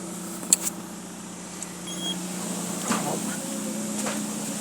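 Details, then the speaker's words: Peugeot engine after loose spark plugs were tightened to 2.5 kg torque, which had caused a strong tac-tac knock: quiet, even idle with a steady low hum and no tapping or knocking left; normal idle. "agora vou dar partida para vocês ver acabou seu barulho ó escuta o motorzinho agora em silêncio lenta"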